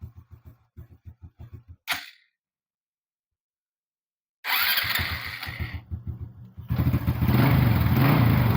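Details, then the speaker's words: Honda Supra 125 carbureted motorcycle that was hard to start when cold, after cleaning the carburetor and jet and adding a seal to the unsealed vacuum port, started cold on the starter: starter churns about four times a second, pauses, then catches at once into an even idle; fine. "Sekarang kita nyalakan ya. Kita starter aja enggak usah kita traap ya. Kita starter Langsung nyala"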